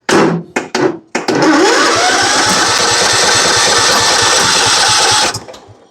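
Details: John Deere riding mower with Kohler Command engine; short starter bursts then steady even cranking with no catch, fuel problem from anti-backfire solenoid stuck by bad gas: crank no start from fuel starvation.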